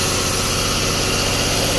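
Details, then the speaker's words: 2011 Jeep Grand Cherokee 3.6L with a used engine and harness, now running on jumper wires to the coils. Lumpy, uneven idle: cylinders 1, 2, 3 and 5 fire, but 4 and 6 are dead, so two cylinders misfire. Suspected open in the harness behind the engine. "you can see we are running on cylinders 1, 2, 3, and 5. 4 and 6 are not firing, but we have this because we have a jump."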